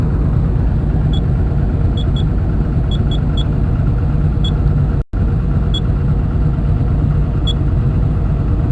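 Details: Komatsu diesel engine with low power, high vibration and white smoke: deep rumble with sharp, uneven metallic ticks about every second, suggesting engine knock.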